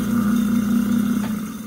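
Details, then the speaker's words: Garbage disposal after its stuck rotor was freed by turning it clockwise with a pry bar, run with the faucet on. Steady, unlabored motor hum that fades as it winds down; spinning freely, normal running. "so that means now it works"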